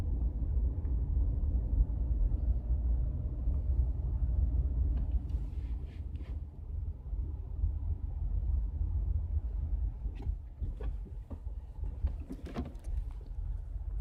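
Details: Skoda Octavia while driving: steady low road rumble with scattered sharp knocks over bumps, mostly late in the run; a suspension knock of unknown cause.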